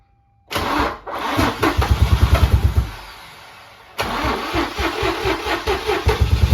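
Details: Infiniti G35 VQ35DE running for the first time after reassembly. It cranks and catches, idles with lumpy, irregular thumps about three per second, stalls, restarts and keeps shaking. Misfiring rough idle, cause still unfound.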